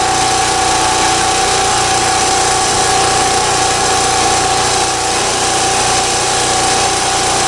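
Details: Champion 3650/4500 W generator, about a thousand hours, original spark plug, only oil changes, after running days through a hurricane outage: smooth, even mid-pitched hum at steady speed, no misses or knocks.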